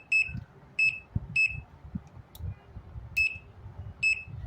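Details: Whirlpool washing machine electronic control board after faulty capacitors were replaced and the 7805 regulator output read about 5 V: several crisp high-pitched beeps at uneven spacing; the board powers up normally; normal power-on beep.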